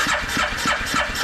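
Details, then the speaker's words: 2010 Arctic Cat 700 H1 fuel-injected ATV with 250 miles, after being tipped over: even starter cranking and fuel pump heard but no firing; crank no start. "it cranks over it sounds good but yeah it does not fire so we're going to tear into this here here a little bit and see if we can figure out what's going on"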